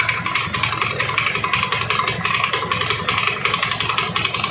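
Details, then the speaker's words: Honda Beat carburettor scooter running with a rough, rattling CVT clatter, about three knocks a second, with belt slip. "nah baik untuk kondisi dari Beat karbu ini suara CVT nya seperti ini ya guys"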